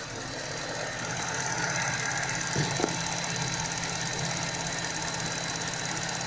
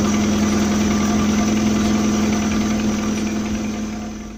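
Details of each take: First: Car accessory/alternator belt that squealed in cold weather as stiffened rubber slips on pulleys, after spraying silicone grease on the belt: steady even idle with no squeal or chirp; belt now runs quietly, temporary fix. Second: Accessory drive (alternator) belt squealing steadily on engine start, with music in the background. In sub-zero weather the rubber hardens and slips on the pulleys; belt slip also occurs under load at low rpm and at idle.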